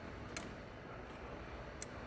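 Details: Two-pill Toshiba amplifier, preamp keyed with a radio: two crisp clicks about 1.5 seconds apart over faint hiss as the preamp relay switches in and out normally.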